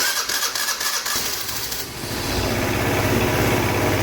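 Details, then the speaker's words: 2008 Piaggio Fly 150 scooter after crankshaft replacement (previously run without oil, rod bearing destroyed): brief cranking, then the single catches and settles to a steady, even idle with no knocking; oil light goes off. "real light turned off sounds good idle down awesome I think we did it sweet starter seems like it's a little sticky but it retracts eventually awesome yeah oil light turns right off sounds good seems to run really good I'm happy with that"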